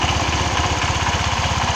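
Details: Honda Vario 125 scooter after refastening an internal bolt that came loose and stopped it while riding: quick, even single-cylinder putter with steady pitch, no knocks or rattles; smooth healthy idle.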